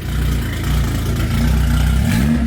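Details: Nissan GTR after a six-day build: deep, even idle with a steady beat, then a clean pitch rise as it's blipped, no knocks or ticks; engine runs fine.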